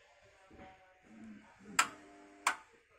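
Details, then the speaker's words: Paragon Janus 1613 kiln on Sentry 2.0 controller, just started on a cone 04 firing at about 12 degrees: two sharp ringing clicks in a quiet room as the power switches on and off normally while heating begins. "and the way we kick this into gear is by pressing enter once more so it's kind of a start 12 degrees and you will begin to hear the clicking on and off of the power"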